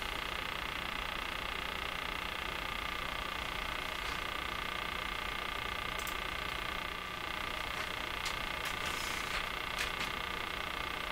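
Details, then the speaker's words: Crosley 43FB farm radio on shortwave during restoration: sharp irregular ticks and clicks over steady hiss, an intermittent ticking that has stopped on its own before. The owner freeze-sprays capacitors hunting the cause, still not found. "This eventually went away. the last time around, which is kind of mysterious too. What would be happening that would make it just come to a stop?"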